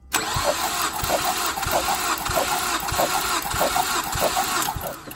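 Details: 2008 Mazdaspeed3, cold engine, cranking compression test: uneven starter churn around 95 beats a minute with soft, lopsided compression strokes; one cylinder low on compression, rings suspected not sealing while cold, spark plug gaps also poor.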